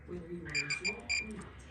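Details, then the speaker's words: RV furnace sail switch contacts bridged with a screwdriver, ohmmeter on continuity: two short high-pitched meter beeps; contacts conducting properly. "And if I touch this screwdriver down here, you can hear the meter sound off, and I'm making continuity."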